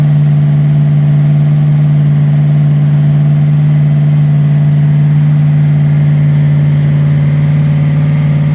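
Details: Freshly rebuilt Ford 302 V8 for 1966 Bronco, first start on run stand: rough loping idle, uneven beat as cylinders don't fire; carburetor issues caused dead cylinders, separate cam break-in tick later found to be a bad lifter.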